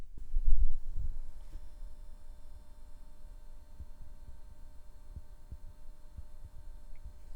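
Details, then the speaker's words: Corsair SF850L SFX-L power supply at idle, fan stopped, powering an RTX 4070 OC in non-OC mode: a faint, steady high-pitched whine and buzz, coil whine. "now let's hear the sound of this corser power supply which still has buzz when it's idling"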